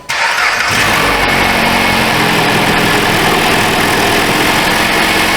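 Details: 2012 Chrysler 200 2.4L, owner complaining of exhaust noise and odor at cold start, suspected exhaust manifold leak or crack; engine catches at once and runs quietly, air pump audible, no ticking or puffing; sounds healthy.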